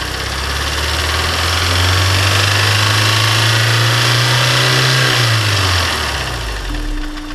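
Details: Honda S2000 engine ticking/knocking at warm startup: a steady light knock over idle that rises briefly with a rev. It was first thought to be rod knock. On teardown, a failed cylinder 1 oil squirter had warped the cylinder, and the piston was scraped up, causing piston slap.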